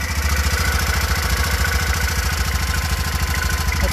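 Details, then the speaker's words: BMW Isetta single-cylinder, nearly finished restoration, idling in neutral after a drive, no oil leaks: even, steady low thumps around three per second, no misses or knocks, comes down to idle nicely; normal idle. "That's pretty good. I'm pretty happy with that. Comes down to idle nice. Engine sounds good."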